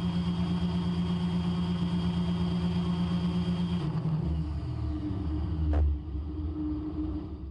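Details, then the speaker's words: Raptor prototype aircraft engine during ground run-up with high-pressure fuel pump run above 100 MPa: steady drone then abrupt drop in RPM to a lower, rougher note caused by the excessive pump pressure. "there you can hear the abrupt drop in RPM because of that"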